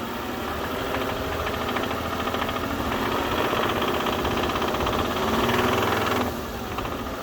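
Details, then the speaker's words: 2006 Bentley Continental Flying Spur, salvage car, fresh oil after oil pan reinstalled: deep uneven knocking about three to four beats a second at idle from the bottom end; suspected rod bearing knock, engine likely needs replacing. "and it sounds like a rod knock. It's definitely not any kind of ticking or anything up on the top end of the engine. And that is not a good sign, because that means that this engine is bad."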